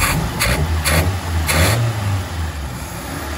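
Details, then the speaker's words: Mazda Interplay carbureted petrol engine just after carb cleaning, air screw being set: lumpy, diesel-like clattering idle; float bowl level has risen after disassembly, possibly the needle valve not yet sealing, so it runs rich. "Jadi kadang kalau habis dibongkar, ketinggian bensin di ruang pelampung agak naik, akibatnya putaran mesin stasionernya seperti diesel."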